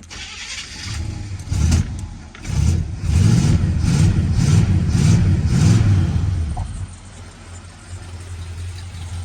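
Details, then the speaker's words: 1972 Buick Skylark after a choke adjustment and a pump or two of the pedal: a short crank, then it catches within a couple of seconds and settles into a steady low idle, where before it took about 2 minutes after sitting. "And I did adjust that choke earlier, so it starts a lot quicker now, man. You still hit it with a pump or two and it'll go, but yeah, before it took me like 2 minutes to start it after sitting so long."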